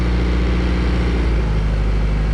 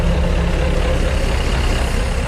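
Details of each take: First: 1999 Chaparral 180 LE bowrider with Mercury 3.0L four-cylinder, started after six months stored in a shed, idling back: steady, even low rumble with no knocks or misses, sounds like it's gonna idle just nice; normal idle. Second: Mercury 3.0L four-cylinder in a 1999 Chaparral 180 LE bowrider on muffs, first start after six months in a shed: steady low rumble with a slightly uneven beat at idle; a bit rough, cause not pinned down.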